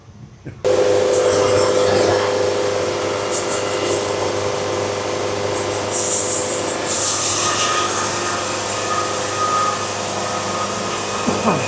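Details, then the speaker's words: Sawmill band saw cutting a log, feed speed being raised step by step. Steady mid-pitched singing tone from the blade, not yet reaching the clean E-flat note heard at optimum speed. Feed rate still slightly below optimum, with less sawdust than earlier cuts. "And I'm still not hitting, I'm definitely still not hitting the optimum speed. I'm not hearing that note, but it's just a few clicks away."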